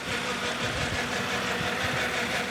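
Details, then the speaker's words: BMW E31 850i V12, just restarted after ten years of neglect, idling with a fast light chattering rattle over a smooth idle, from the timing chain tensioner. "But it's not all good news. There's an odd noise coming from the engine which can be heard here."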